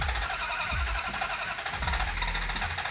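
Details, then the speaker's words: Hemi Dodge Charger cranking after timing moved well toward advance and gas pumped: starter churns steadily with a few weak catches that never take; sounds like it wants to start, more fuel suggested. "it does sound like it wants to start so go go ahead and crank it all right"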